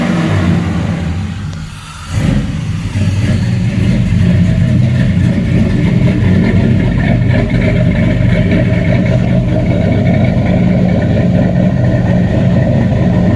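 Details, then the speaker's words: 94 Caprice, stock 5.3 LS swap on a Holley Terminator X MAX, first start: one stumble, then a high, deep, slightly lumpy fast idle. Air-fuel reads 9.6 against a 13.8-14.2 target, plug-flooding rich, likely from high fuel pressure; a regulator is planned. "right now it's at nine six so it's definitely like flood your plugs out rich"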